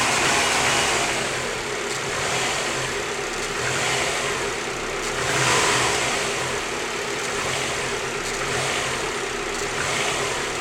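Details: Subaru WRX with new short block, 600 miles on build; revs swell and settle back to idle with a faint hollow knock under the engine note, owner suspects piston slap but unconfirmed.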